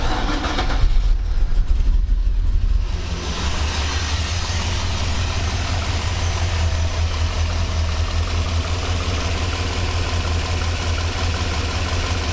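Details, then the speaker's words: 1985 Monte Carlo SS with a cammed 6.0 LS2 swap, sitting 5 years, after a fuel-system rebuild with about 58 psi fuel pressure. Catches after a short crank into an uneven, loping idle; running better but still misfiring. "It's running better, but there are still a few misfires."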